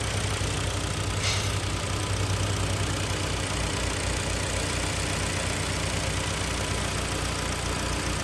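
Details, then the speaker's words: 2010 Hyundai ix35 (AX35), front-drive, G4KD engine, manual gearbox, after repair of scored cylinders and spun bearings, fresh oil and antifreeze: an even, steady idle with a smooth low hum and no knocking or ticking while warming up. "Ну что последний файл запускаем Очень неплохо работает"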